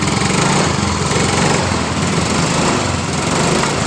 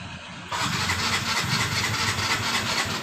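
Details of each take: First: Yamaha Mio M3 scooter that was hard to start and died on throttle, after replacing the oil-fouled spark plug: lively, even buzz rising and falling smoothly with throttle, no misfires. Normal running after repair. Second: Yamaha Mio M3 scooter that suddenly became hard to start. The start attempt catches with a rough, hissy burst but never settles into a steady idle; check the fuel supply first before diagnosing further.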